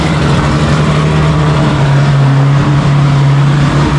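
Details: Drift car engine, untuned with only fuel pressure and idle set, idling after a cold start: loud steady low idle with an even drone, no lumpiness or misses; runs healthy.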